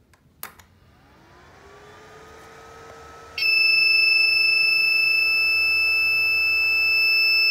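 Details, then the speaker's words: Ender 3D printer: at power-on a shrill, unbroken high beep starts and keeps sounding. The fault persisted even after the hotend was replaced with a new one. "okay guys i have problem with my ender 3d printer so it has always beeping many times so long times when i press the power button like this"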